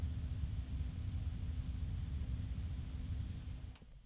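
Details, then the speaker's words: Thermalright Frozen Notte 360 ARGB AIO CPU cooler fans under full Prime95 small-FFT load, microphone near the fans: steady low whoosh with constant faint hum, no rattle or grind; loud but normal. "okay so as you can hear it's gotten pretty loud now now is that still very loud not to my ears"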